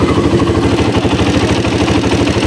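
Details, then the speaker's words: Honda XR200 single-cylinder bike idling noisily: busy metallic ticking and clatter, timing chain and tensioner to be checked by opening the engine. "Lumalagitik. Yan maingay."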